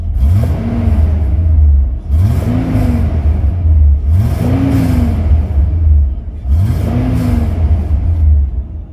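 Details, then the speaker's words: 2003 Mitsubishi Pajero NP 3.8L V6 after replacing faulty MAF sensor, codes cleared, lights off: three clean throttle blips rising smoothly and settling without stumble or hunting; RPM steady, no fluctuation. "all good you can see the the RPM it's all okay no fracturing thank you"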